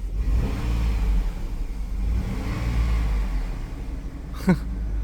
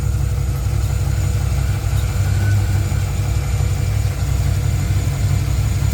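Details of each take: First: Running 2005 GMC Envoy Denali after a headlight bulb replacement: a low, smooth, even hum with hardly any mechanical noise on top; the engine runs very quietly and sounds healthy. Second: Tahoe V8 at warm-up idle: deep, even idle with a faint loose tapping about three times a second; owner almost hears rod knock but thinks it's upper valve train, possibly cam; possible root of an oiling issue, unconfirmed.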